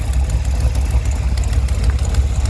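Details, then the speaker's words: 1971 Chevrolet Cheyenne, factory big-block 454 V8 on Jegs Bandit EFI, first start, cam believed broken in, rear jacked up; lumpy idle with sharp puffing ticks in step with firing pulses. Header leak at number two cylinder. "I think I got the cam pretty much uh broke in I got a header leak on this uh number two"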